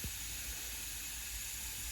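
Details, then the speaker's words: Tial MVR wastegate, bench-tested with air after the car spiked to 30 psi boost with no boost control. A steady, thin hiss of air escapes at the fitting and stem. Tial says stem airflow is normal; a bad part is suspected, not confirmed. "it's still got air coming out of the fitting here so maybe I have a"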